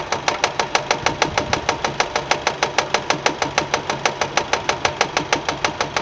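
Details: Nissan at idle with crisp regular smacks about three per second; engine found fault-free, noise came from a fraying alternator belt whipping against the metal body.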